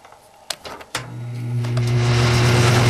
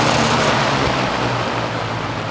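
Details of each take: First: Toastmaster box fan, only light dust in the motor, switching on: strong low hum and rushing air that fades after a few seconds; odd startup noise, cause not identified. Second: Toastmaster box fan, cleaned, a little dust in the motor, running on high: steady even rush of air over a low motor hum, some noise from the case — normal fan on high.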